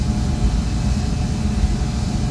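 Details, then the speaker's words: RV Asko clothes dryer after fuse holder repair: low steady drum rumble with even motor hum, no scraping or squeal; running normally, vent flapper open. "so I'll go check outside but I suspect the flapper is open and it's going outside now so we're outside and the dryers running there's the vent for the dryer"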